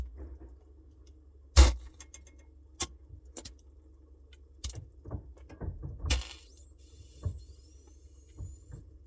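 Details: Samsung Bespoke refrigerator noise: low steady hum broken by scattered light clicks and jangly rattles at irregular moments; something loose rattling inside the fridge.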